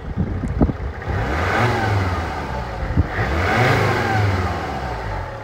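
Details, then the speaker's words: Mercedes CLK 270 CDI coupe five-cylinder diesel, warmed up, heard under bonnet: revs up smoothly twice and settles back, boosting to full power cleanly with no misfire or knock; normal revving. "it probably just sounds like a lot of noise but that is absolutely lovely smooth as you like"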